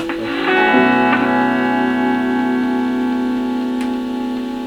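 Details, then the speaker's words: Fender Super Reverb Blackface amp, vibrato channel: sustained chord with only faint pulsing about four beats a second; oscillator tick changes with speed control, so speed works but vibrato intensity is very weak; cause not yet confirmed. "Yes, the vibrato speed's working. I can hear it going, the tick tick tick tick tick tick, changing speed as I change the vibrato. So it's an intensity problem."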